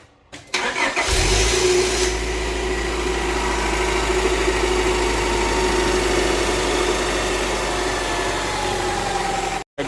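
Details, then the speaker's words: Honda Prelude after the alternator belt was tightened to cure a belt squeak: the engine starts quickly and settles into a steady idle with no squeak, though a cold morning start is still to be checked. "it looks okay okay cut it off it looks good to me maybe a little yeah this is okay no squeak but I guess we'll find out in a morning"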